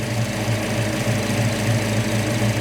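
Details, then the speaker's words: 1969 Dodge Charger V8 with new EFI, warming at 156°F (learning starts at 160), rpm dropping toward about 800: deep, even idle with slight rhythmic cam lope, steady with no misses or knocks; normal. "You can hear that RPM starting to drop, and you're getting a little bit of that cam lope in it, but look how steady the engine is."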